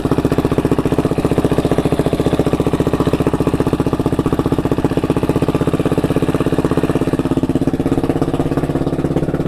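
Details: KTM 690SM LC4 single at warm idle with a fast, steady light top-end tick keeping pace with the engine, heard only when warm. The owner suspects the cam chain tensioner; now on Motorex oil, previously Amsoil 10W-40.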